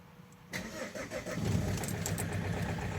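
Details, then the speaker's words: Opel Z19DTH 1.9 diesel, 2008, automatic, left outside overnight, cold winter morning start: catches after brief crank, then uneven idle with irregular clattering rattle, smoking and misfiring; previously repaired injectors with bad cylinder balance corrections. "Ой-ой-ой. Ой-ой-ой. Щось торохтає, чуєте, да? Щось їй погано. Щось їй погано. Димить, димить, протраїла."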